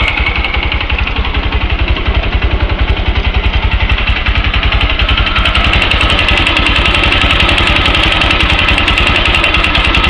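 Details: Yamaha YBR-125 single-cylinder idling; steady, sharp tapping over the firing beat at roughly four knocks a second; engine knock, source unclear.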